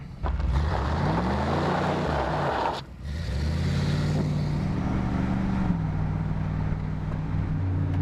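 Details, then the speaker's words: 1991 Chevy 454 SS, 7.4 L V8 replacement engine, driving under load with good oil pressure, very low temperatures, charging, check-engine light from a broken sensor on the right head: exhaust note rises through gears, drops cleanly on shifts, no knocks; healthy. "far so good you got good oil pressure temperatures staying very low checked all my fluids so yeah so far so good"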